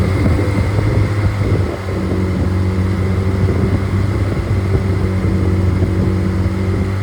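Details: Rebuilt Triumph Spitfire 1500: shaved head, larger intake valves, 270 cam, flat-top pistons, double valve springs, duplex timing chain, new bottom end and bearings, compression over 180 psi, oil pressure improved; smooth even four-cylinder drone, no tapping or knocking — normal running.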